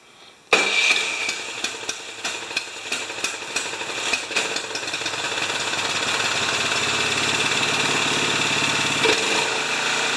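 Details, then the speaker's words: Craftsman 27-inch snowblower, 13.5 Briggs & Stratton engine, after the Nikki carb leaked gas: flooded engine catches with uneven, stumbling pops, then settles into a steadier run as excess fuel clears. "now i'll plug this plug back in and it's going to smoke black because i've flooded"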